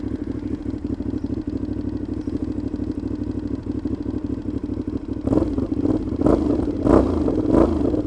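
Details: Motorcycle with play between the silencer and the catalytic converter, sounding like an open exhaust: loud, raw running with a crackly clatter that swells with throttle, exact cause unclear; loud exhaust noise.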